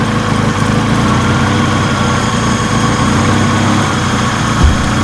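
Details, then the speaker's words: B-swapped EK Honda Civic that stalled at idle, after a new throttle body was fitted and the idle adjustment screw opened; steady, slightly raised idle with a loud high intake whistle, sounding healthier. "I did open it quite a bit and you can hear how loud's whistling now and the car did die before I adjusted it but coming to the back of the car it sounds so much more of a healthy Idol right now"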